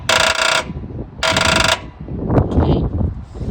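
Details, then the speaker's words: Old Craftsman riding lawnmower found sitting in a pasture, with jumper cables clamped directly on the battery: two short bursts of starter buzz/clicks, and the flywheel makes no attempt to spin. Engine won't crank; binding or seizure suspected, not confirmed. "okay okay when I run the starter motor um it just clicks and the flywheel doesn't make any attempt to spin so I think I'm going to have to break this t"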